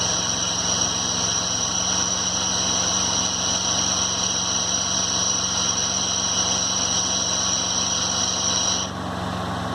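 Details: 2011 Ford F-150 idling while shifted from park to drive: a steady high-pitched whine over the engine that cuts out suddenly, from a corroded vacuum pump, replaced under warranty.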